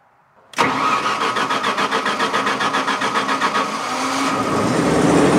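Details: Onan generator started with no breaker to test three-phase voltage: catches within a second, pulses briefly, then holds a steady, even run; about 210 V measured, likely 208Y wiring; runs normally.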